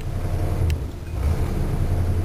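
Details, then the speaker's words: Carbureted V8 car with worn camshaft lobes, suspected slipped timing chain, valves knocking on 91 octane: low rumble surging and sagging with a sharp pop as throttle opens; bucks under load, owner suspects valve problem. "once it's under load like I'm right there it sounds not bad but you push down further on the accelerator and it starts to Buck and"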